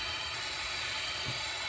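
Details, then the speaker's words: Toyota Tundra engine leak-down test on cylinder three, piston at top dead center on compression stroke: steady loud air hiss, nothing mechanical, big leak; soap spray shows air bypassing the valve seat. "so we have a leak and i sprayed soap down there so we can see what's going on and you can see how it's just it's bypassing the seat"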